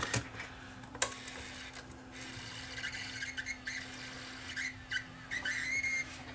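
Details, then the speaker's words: Tascam DA-P1 portable DAT recorder (donated parts unit), cassette inserted to test threading: faint steady squeal and whirring with an intermittent chirp as the mechanism tries to load; loading belt appears to be slipping. "Sounds like a belt is slipping for starters. Oops, that started to spin. Okay, sounds like we have a slipping belt on this thing."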